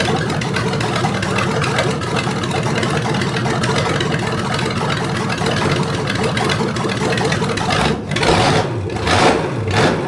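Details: Rebuilt '73 Canadian truck 350 Chevy V8 (new piston and rod, big cam, fuelie heads) on stand, no fan, warming up: loud lumpy uneven idle shifting as distributor is twisted; rough idle, ignition timing way off, not yet set.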